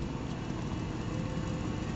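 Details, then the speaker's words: Old Chevy truck running on propane after the propane regulator was rebuilt with a new kit and adjusted: low, even rumble with steady rhythm, no misses or knocks; seems fixed, sounds like it used to. "He's trying to adjust it. Sounds like it. Sounds like it used to, right? A little bit. I'd say he's got it fixed."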